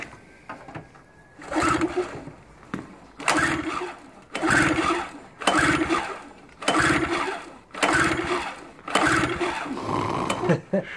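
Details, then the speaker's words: Small recoil-start engine, repeated pulls about every 1.5 seconds spin it with a whirring rasp but it never catches; spark plug found dry, suspected not getting fuel; cranks but will not start. "um no it's not getting any fuel it's dry"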